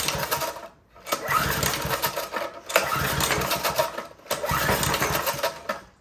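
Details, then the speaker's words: Older Briggs & Stratton 5HP engine driving a generator, full choke: three pull-start cranking bursts spin over without catching, barely responds even to starting fluid; cranks but no start, suspected carburetor problem, possibly low compression. "Doesn't want to fire. We'll give it a little starting fluid. And that's about all it does. So I suspect it's something carburetor related."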